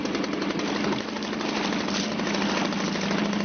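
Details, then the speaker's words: Suzuki DT 2.2 HP two-stroke outboard running in a test tank; settles into a fast even buzzing tick over with steady low tone and no misses; idling fine without choke. "That's it, that's ticking over now without any choke on."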